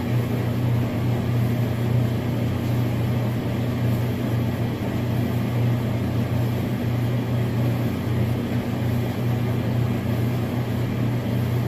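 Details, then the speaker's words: Gas dryer kicking on and running normally after thermal cut-off fuse replacement for poor drying, with a multimeter connected and a temp probe in the drum: steady low drone and even tumble hum, burner on, smooth running. "Right now we're just waiting for it to kick on, which I just heard."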